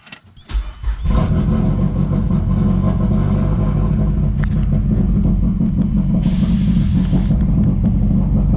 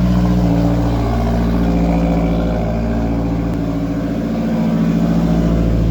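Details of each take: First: Mazdaspeed 3 with leaking AEM methanol injection nozzle dripping meth into throttle body, before solenoid install; cold start into lumpy, loping, uneven idle, rich codes and random misfire: rough idle, running rich. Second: Mazdaspeed 3 with AEM methanol injection, just after installing a methanol solenoid following a failed nozzle check valve and refilling meth/water: engine settles into a steady, even idle with no stumbling; earlier fuel-system-too-rich codes to be cleared.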